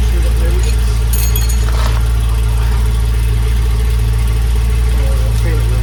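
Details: Land Rover Discovery 2 V8 petrol, just started, possibly on choke, after replacing the exhaust mid and rear sections: low, steady burble with even firing and no knocks, ticks or exhaust puffing; a smooth, healthy idle, with condensation judged normal, not head gasket.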